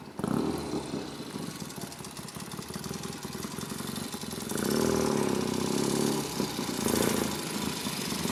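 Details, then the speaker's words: 1972 Triumph Tiger 650 twin, long parked, after cleaning and adjusting the Amal carburetor and points: catches and holds an uneven idle that smooths somewhat as it warms, with odd surges and dips in revs. "Well, sounds like it's on its way to being able to idle again."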